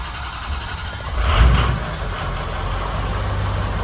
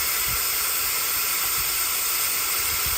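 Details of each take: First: 6.0 Powerstroke with hot crank-no-start, ICP reading about 240-245: catches after a brief crank into a steady, even diesel idle with a deep, smooth rumble and no knocks; new alternator fitted, warming up. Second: 6.0 Powerstroke with crank-no-start when hot, valve cover off, engine not running; loud steady hiss of shop air escaping past the upper injector o-ring on the high-pressure oil rail, found by squirting oil.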